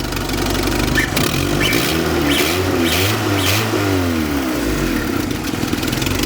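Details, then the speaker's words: 1976 Fiat 124, turbocharged with an aftermarket ECU, fuel pressure about 43 psi, exposed timing belt; the engine revs up and down cleanly with an even pull and a faint turbo whistle; runs well; normal revving. "You can hear it a little bit. A little bit, yeah. Actually runs really good."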